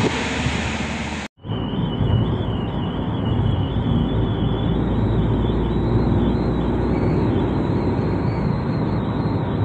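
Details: Car with newly fitted roof rails at over 50 km/h: a thin high whistle over wind and road rumble, from air rushing through the roof-rail gap left without its seal strip; filling the gap fixes it.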